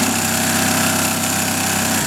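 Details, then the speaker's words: Vintage Pfaff 134-0-6 industrial lockstitch machine, speeding up from a slow 3.5 mm stitch to full speed. Fast, even needle chatter over a steady motor hum, then a clean stop: healthy high-speed sewing. "and the machine will blaze. But you don't have to go, you can go slow if you want."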